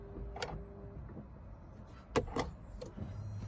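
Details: Faint steady whine from the fuel pump under the rear of the seat when ignition is switched on, engine off, on a Dacia Duster 4x4 with 1.5 diesel 114hp; owner also notes a turbo noise.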